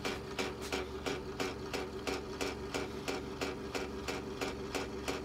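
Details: 2005 Porsche Cayenne S power folding mirror that was sticking without gear stripping, after spraying into the mechanism: motor whirs steadily with a crisp regular click about three times a second as it folds freely.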